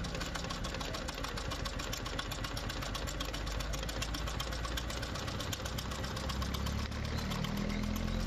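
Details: Small single-cylinder motorcycle, previously hard to start when cold in winter, after a small setting adjustment: steady idle of about four beats a second, firing evenly with no misses or hunting.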